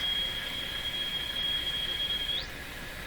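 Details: General Electric CL541A ship radio, examining mixer tube output: steady high-pitched whistle for about two seconds, then sweeping up and fading; heterodyne squeal from a mixing product, little suppression of mixer output.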